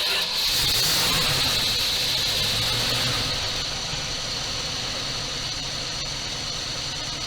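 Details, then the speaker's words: 1978 Dodge D200 crew cab 318 V8, abandoned 17 years, first start fed fuel down the carburetor, reportedly broken crankshaft and bad clatter; steady smooth idle with no knocks or ticks; runs healthy, crank doubtful. "I don't hear any noises, so I'm curious about the supposed broken crankshaft. It sounds to me like a pretty good running motor."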